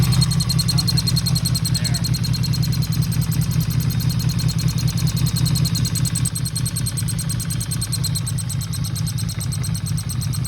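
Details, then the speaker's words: 1977 Yamaha XS750 at idle: uneven idle with busy rattly patter and faint hiss; last run before carb teardown, gas suspected stale. Owner unsure whether it's the cams/valvetrain up top or a vacuum leak; cause unconfirmed. "uh I'm hoping it wasn't cuz it kind of sounded like that but it kind of sounded like a vacuum leak as well"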